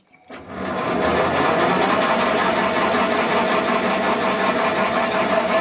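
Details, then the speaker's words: Raglan 5" lathe on generic AT1-style inverter with new remote (non-latching forward/reverse, jog, e-stop): after e-stop release, forward run winds up to speed with a steady, even mechanical whir, no knocks or grinding; normal running. "now if we release the e-stop we should get forward run coming on and if we wind up you can hear the lathe starting"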